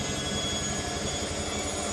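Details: Hotpoint Ariston washing machine after the repair, spinning with three towels: steady, even rush and hum with no knocking; the earlier knock came from a loose front counterweight on the drum, now tightened.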